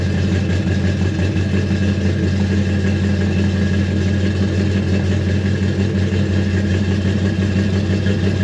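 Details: 1957 Chevy V8 after 31 years sitting, restarted after fixing the sending unit, which is believed to be the earlier issue: deep burble with slight unevenness; runs pretty good, slightly rough idle still needing adjustment.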